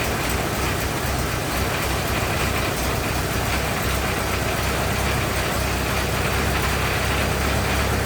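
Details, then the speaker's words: 1927 Ford TT, new buzz coils, up on a jack, throttle up: old four-cylinder ticking over with an even patter, no misses or stumbles; runs really nice, a healthy runner. "that runs really nice no complaints there"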